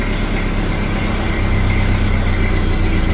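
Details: 1929 Ford Model A after oil pan gasket replacement and new oil filter fitted, cold start in neutral with brake on: low steady chug at slow even idle, regular firing, no knocks or misses; sounds like it's idling really well.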